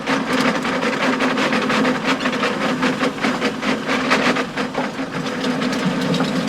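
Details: Stones clacking and banging loudly on the power harrow tines behind a John Deere 6920 tractor bogging down in very wet conditions, constant rapid clacks and sharp bangs over a steady engine drone; stones previously broke a tine.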